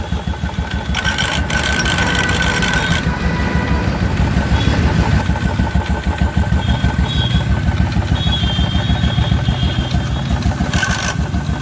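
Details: Royal Enfield Electra 350 (2016, UCE) single-cylinder idle with uneven metallic rattle on each beat, heard with the clutch cover open, a noise from the clutch side.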